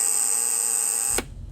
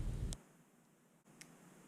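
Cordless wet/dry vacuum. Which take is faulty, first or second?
first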